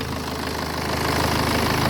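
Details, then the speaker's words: BMW 5 Series diesel after a turbo replacement, with the air filter box and boost hose refitted: steady idle with the usual light, even combustion clatter and no irregular knocks. "it sounds alright so i think it's costly"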